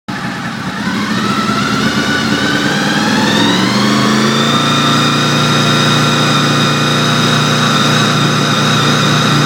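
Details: Honda VFR800 misfiring only at around 3,800 rpm: revs rise smoothly, then hold at mid revs with a choppy, uneven beat. Owner suspects a failing throttle position sensor; not confirmed.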